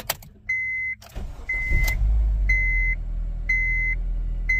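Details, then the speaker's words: 2007 Honda Civic with cylinder 2 misfire (P0302), started after swapping in a new part: short crank, fires promptly, steady idle under door chime; much smoother start, earlier boom-boom misfire gone. "oo that was a much smoother start I like that could y'all see the difference could you hear the difference I don't have that b boom"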